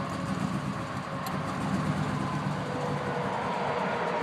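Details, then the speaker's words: 2001 Chevrolet Silverado 5.3L with recent misfires and a new coil installed, barely starts and won't stay running unless throttle is held: uneven pulsing, rough-sounding engine; rough idle. "Still running. You guys can hear it. It doesn't sound good at all."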